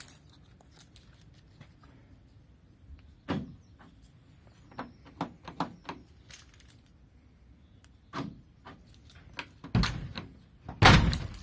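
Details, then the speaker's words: Ford Transit van with a newly fitted remote keyless central locking system, tested from the key; the door lock actuators give quick, crisp clunks together. Central locking works normally. "Now, last one is to try it on the key. Now again, the key should actuate the central locking."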